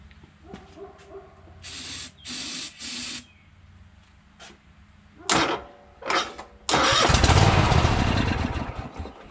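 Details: Troy-Bilt Horse tractor small engine after fuel pump replacement: a few cranking bursts with pauses, then it fires and settles into a steady, slightly rough run; smoke from having been tipped on its side clears up.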